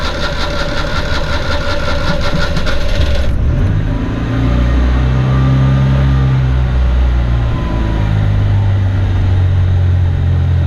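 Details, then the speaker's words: 1983 Daihatsu Hijet kei van, small engine about 30 hp, cold on manual choke: fairly steady low idle, slightly lumpy while warming, no knocks or odd noises; normal cold idle that needs babying until up to temperature. "and like I said earlier it does have a manual choke and so it requires little babying until it gets up to temperature"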